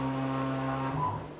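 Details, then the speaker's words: DIY CNC mill with stepper motors, probing a part at low speed: steady low buzzing hum with a ringing tone shifting as motion slows; step overshoot ringing amplified at certain RPMs vibrates motors and whole mill. Replaced with servo motors. "Here you can see when I'm probing this part at low speeds that there's a lot of vibration coming from the motors."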